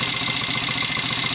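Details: 750 Royal Enfield Interceptor MK1 twin after carburettor work (had kicked back and run on one cylinder; 25 pilot jets, 380 mains, mixture screws rebalanced): ticking over with quick evenly spaced pulses, no spitting back or stumbling; clean healthy idle.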